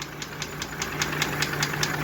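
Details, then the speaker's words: Mercedes G-Class 104 3.2 L 220 hp petrol engine, burnt piston in cylinder one, no compression, melted catalytic converter: idles with a sharp, regular metallic knock, about five per second, over a low hum; knock cause unknown before teardown. "что стучит тоже непонятно сейчас буду разбирать смотреть"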